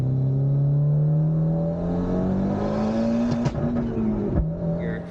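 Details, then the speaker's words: Hyundai Genesis Coupe on dyno at 30 psi boost: pitch rises under load, then ragged flutter on throttle lift as air surges back into the turbo; blow-off valve inoperative because its intake manifold port is clogged or blocked. "you can hear the car making that noise which is kind of like the air surging back into the turbo um so we didn't have a functioning blow-off valve"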